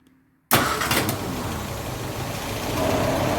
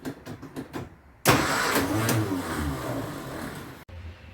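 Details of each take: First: 1953 Austin A40 Somerset after an ignition tune-up that stopped popping back through the carburetor: quiet, then the engine catches at once and settles into a steady, even idle with no stumbling. Clean, healthy start. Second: 1953 Austin A40 Somerset before its tune-up, air cleaner top off: engine cranks, catches and stumbles roughly with heavy vibration, dying between tries, with popping back through the carburetor; this suggests ignition as well as fuel problems.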